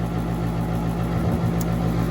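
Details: Central AC outdoor unit in Woodbury, New York, 24 V present: a constant low drone with no cycling or pauses. Its single-pole contactor stuck closed ran the compressor nonstop over a long holiday weekend; a refrigeration issue is also suspected, gauges showing no pressure.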